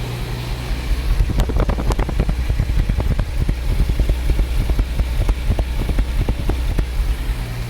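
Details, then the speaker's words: Jaguar XJ-S V12 HE, off the road almost 20 years, at idle, heard at the exhaust: irregular puffs and pops about three a second on B bank. Plug leads are confirmed seated; the owner suspects an injector, distributor, coil or amplifier. "rubbish that's not right at all useless so i think what i'm going to try and do is swap the plugs over and the king leads from the two coils to the distributor and see if that transposes the problem from b bank to a bank"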